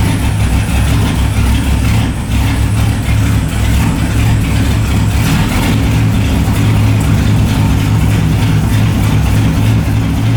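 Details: LS1 V8 in a BMW E30, just fitted with a new MSD 6014 box replacing the 6010, first start: deep, uneven rough idle; cause not found.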